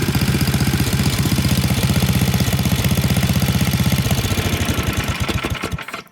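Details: Tecumseh HMSK80 snow blower engine, started warm at full throttle after fixing no-spark fault (shutoff switch contact bent clear): small single fires at a fast, even pulse with no misses, then shuts off cleanly; running healthy.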